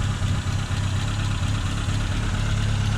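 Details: 1985 Nissan 200SX S12 CA20E with new injectors, coolant sensors, plugs, wires, MSD coils, cap and rotor: low idle with a slightly lumpy, uneven pulse and small dips in loudness.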